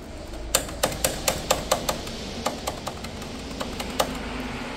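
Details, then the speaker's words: Mercedes W213 E220d diesel engine bay: sharp, tinny metal clacks in uneven bursts from a heat shield held only by stainless clips, rattling from diesel vibration. "볼게요네 달그닥 달그닥 소리가 나죠네 아이고 참 허술하게 허술하게 돼 있네"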